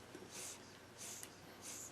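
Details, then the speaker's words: Gotway Monster electric unicycle with deflated tire: faint hiss in short bursts about 0.7 s apart as the tire is squeezed at the valve; owner suspects the tube came apart or loosened at the valve stem, not a puncture. "I don't know if you can hear that but you can hear the air coming in and out so I have a feeling that this stem just left loose"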